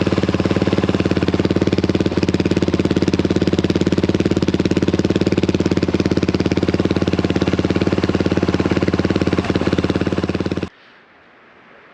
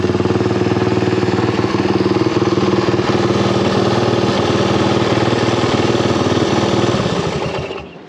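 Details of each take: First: Honda XL175 single-cylinder, before replacing the muffler: hard, barking idle with evenly spaced loud pops for ten seconds; exhaust ear-piercingly loud. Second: Honda XL175 single-cylinder dual-sport after exhaust/muffler replacement: even deep thump at idle about four beats a second then shutoff; new exhaust sounds deeper but barely quieter; normal exhaust note.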